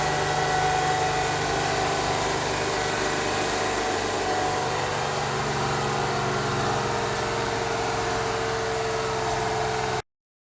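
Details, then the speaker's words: GMC New Look (Fishbowl) transit bus, diesel, first start in a year after hours of preparation: smooth, even idle, steady low drone, no knocks or misses, a little smoky; normal idle. "it's a little smoky but it certainly sounds good still not ready to move"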